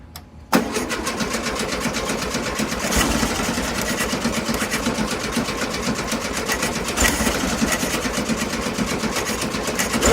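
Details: 1972 VW Beetle sat over three months in Seattle rain, first start attempt after a 3-hour battery charge: steady rhythmic cranking chug for ten seconds that never fires; battery fading, engine wet, suspected spark or ignition problem, not confirmed.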